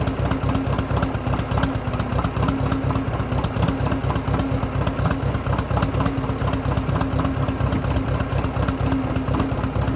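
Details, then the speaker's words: Drott T340 skid shovel engine running: a steady low chug with an uneven, stumbling beat around two per second, a misfire. "you can hear it's misfiring for something"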